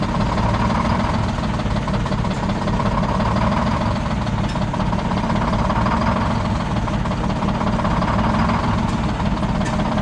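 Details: Old Detroit Diesel 6-71 two-stroke, last run before removal: deep uneven idle rumble with an irregular skip and lumpy beat, engine shaking badly; one cylinder not firing, raw fuel dumped out the exhaust.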